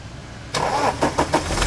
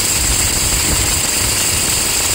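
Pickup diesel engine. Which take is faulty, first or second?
second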